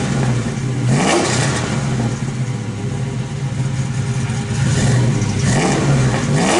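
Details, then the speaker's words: Suburban V8 with new headers, spark plug wires, clutch slave and dual clutch flywheel: deep rumble with clean blips climbing and falling freely, revving quicker with less mass, no clutch noise; normal revving. "Light, like there's like feels like there's feels like it's spinning quicker than it was. Like it had the lightweight flywheel before, but it seems like it's spinning even less friction."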